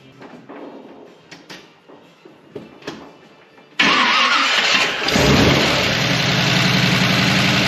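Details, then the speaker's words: Car with a TH400 transmission and a newly fitted TransGo shift kit, previously suspected of running low on fluid: the engine fires and settles into a loud steady run with a constant ProCharger-like whine beneath it. Transmission whine, which the owner dislikes. "Now, that noise that we hear, that transmission squillings that sound like a Pro Charger, that's what I don't like. Okay, because it's loud."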